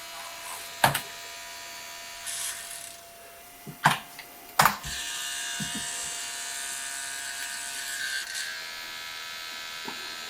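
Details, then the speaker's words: Pentium 200 MMX Windows 98SE PC starting up: sharp clunks and a buzzing mechanical whir over steady fan hum, the floppy drive making all the noise. "looking good so far it's literally the floppy making all that noise"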